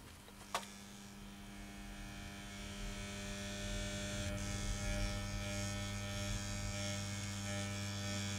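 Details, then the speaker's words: Washing machine motor with rotor and stator wired in series, fed through an SCR power regulator. Its steady hum rises into a loud, fast whirring buzz as power is increased and it spins up to high speed. "you can't really see how fast this is spinning because it is basically spinning too fast but I hope you can hear from the sound this motor makes that"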